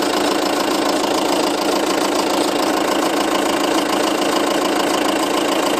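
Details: 2007 Seat Leon 2.0 TDI 140, 30k miles, fresh cam belt, water pump and service. Diesel idle with a light, regular ticking, about 3–4 per second, over the clatter. It is heard mainly from the nearside front wheel arch when stationary, barely with the bonnet open; cause unknown.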